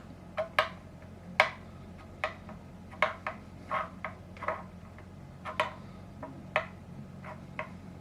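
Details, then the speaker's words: Telecaster-style parts guitar during fret levelling: light uneven ticks about once a second as a short straightedge rocks on raised frets, about seven high frets found needing seating and levelling. "You can hear a rock. It's the reason I brought the camera down, so you can hear the rocking."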